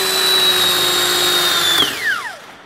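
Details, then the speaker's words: New rebuilt starter for a MaxxForce DT diesel on a bench test, compared to a 10-year-old dragging MaxxForce 7 starter: smooth high electric whine holds steady and winds down evenly; spins freely, no dragging or grinding. "it so there's a huge difference bushings are new and everything this one's probably dragging the motor and it's just ten years it's paid for itself and it's a quite a difference in the action and the sound"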